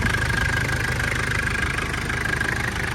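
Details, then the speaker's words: 1996 Mitsubishi Delica L400 Chamonix 4x4 with the 4M40 2.8 L intercooled turbo diesel, automatic, 107,231 miles, on a cold start at idle. A quiet, steady, even low chug with a new turbo whining lightly on top, no clanking or smoke; sounds healthy. "It's a cold start, no issues, and no smoke. Let's see, it runs real quiet, real nice. Like you hear that new turbo whining. Sounds good. And engine's real quiet."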